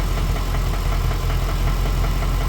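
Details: Ford BA Fairmont V8 after timing chain replacement, warm idle: dull deep steady knock under exhaust note, not from front timing area but centre/back of engine; owner suspects worn piston pin, unconfirmed; engine knock.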